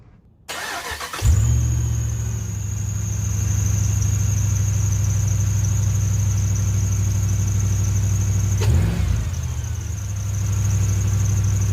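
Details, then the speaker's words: Truck engine starting and idling with steady high-pitched squeal from belt tensioner pulley bearing, bearings dry with grease gone; pulley to be replaced. "I'm going to be replacing uh this component here the belt tensioner pulley and the squealing that you're hearing down there is the bearing on the inside uh the bearings are dry the the grease is pretty much gone"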